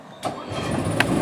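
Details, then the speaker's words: 2023 Jayco GreyHawk 27U RV onboard generator, primed then started from interior panel: short crank catches at once, settles into steady even hum with no stumble; normal generator start. "I don't know if you can hear it or not, but it started right up."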